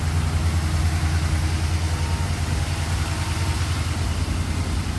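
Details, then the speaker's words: Mercedes 380SL idling in the shop the day after freon was added, AC off: steady, even low rumble with a smooth regular beat, no knocks or ticks; clean normal idle. "she's running just fine sounds good right now AC is off"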